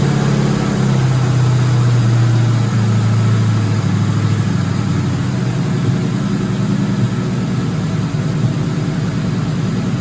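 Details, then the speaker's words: 2004 Ford Mustang GT 4.6 V8 being revived, first run with no coolant; smooth, even, slightly fast idle with no timing chain rattle or slap; normal idle. "all right guys success man she sounds quiet all right we won't let her run long because there's no water or nothing in there"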